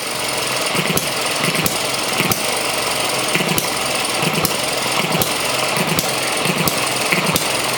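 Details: Model ET6 hit-and-miss engine, first run after pull starts and a leaner mixture: sharp firing pops under a steady whirr roughly every two-thirds of a second, regular and even; running steadily.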